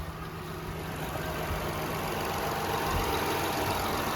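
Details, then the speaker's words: 2006 Toyota Highlander 3.3L after water pump replacement (was losing coolant): steady even idle with soft regular pulse, no ticking, knocking or squeal; running and firing good, no leaks found, normal idle. "Sounds good, she's running good, she's firing good. Let's go run her up a little bit. See, make sure everything's working right. All right, she's sounding good."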